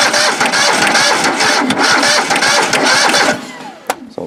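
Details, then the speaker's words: John Deere 185 riding mower after two years sitting, battery fitted, no starting spray yet: starter churns unevenly about three seconds with dropouts, never catches; owner suspects a connection issue, later finds a gummy choke. "like we got maybe a connection issue just like that huh"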